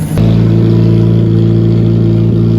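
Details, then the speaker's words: Honda Accord CB7 project car with tucked exhaust, after injector O-ring replacement, coolant refill and coolant leak fix, running in the rain: deep, steady exhaust drone with even firing, no misses or rattles; healthy. "sounds insane. Yeah, this is what I'm talking about. Absolutely gorgeous."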